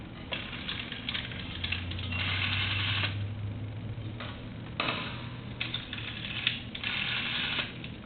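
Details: UK British telephone under conversion and repair, tested on an analyzer: quick bursts of ratchety clicking as the rotary dial returns, low steady hum underneath; dial pulsing normally.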